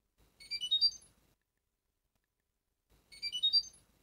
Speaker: fisher and biker washing machines have two different types of fault messages the first type is a user warning when it makes a little tune like this